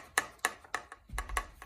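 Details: Canyon Aeroad carbon frame shaken: sharp hollow clicks, three or four a second, first suspected as an internal cable but actually a loose Di2 internal battery holder; fixed by replacing a screw on the holder.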